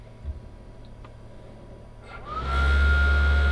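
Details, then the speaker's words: Wallas 85Dt diesel cooktop/heater in a 1987 Unimog camper at switch-on: quiet clicks, then the burner fan spins up to a steady hum with a rising whine that levels off, louder than the oven. Normal startup while the glow plug preheats for minutes. "and you can hear it turn on. A little bit louder than the oven. This is gonna take a few minutes to actually heat up and turn on."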